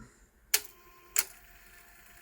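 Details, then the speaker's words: Pioneer CT-300 tape deck (1980) after replacing the gooey drive belts, one swapped for a slightly smaller belt: crisp mechanical clacks as rewind, fast-forward and play each stop properly; normal transport stop now working. "now rewind fast forward fine and it stops rewind stop fast forward stop playing"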